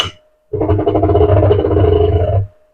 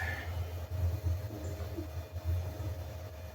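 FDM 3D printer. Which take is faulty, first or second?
second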